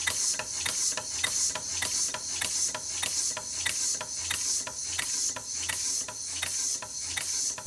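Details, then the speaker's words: Newly built PM Research #4 steam engine on its first run on air, with eyeballed eccentric valve timing, run as slowly as possible: crisp, evenly spaced exhaust chuffs at about 100 a minute with steady hiss; valve timing sounds symmetrical and healthy. "the goal is to get the valve timing to sound symmetrical but honestly that sounds really good"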